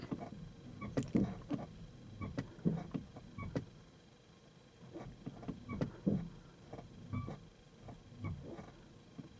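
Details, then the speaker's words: Kia EV3 GT Line S after one year, in iPedal stop mode: quiet scattered creaks and ticks in short bursts, coinciding with the brake lights coming on and off; owner suspects the brake servo mechanism under the bonnet, not confirmed. "to coincide almost with the brake lights coming on and going off."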